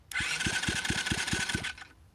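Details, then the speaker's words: Rebuilt Loncin 70cc ATV engine, carb and stator not yet fitted, spun over: steady whir with even, strong compression thumps about four to five a second; compression sounds good and equal. "Alright, so it's not ready to run because I didn't put the carb on or the stator, but I'm just going to see if it spins over. Okay, sounds like it's making compression."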